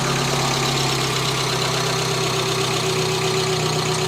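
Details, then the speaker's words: Renault Clio 16v Grand Prix started after sitting little-used for years: steady idle with light uneven fast ticking about four a second; owner thinks the ticking is the hydraulic lifters. "it sounds a bit tabid but I think that is down to the hydraulic lifters this car has not run for for that much the last few"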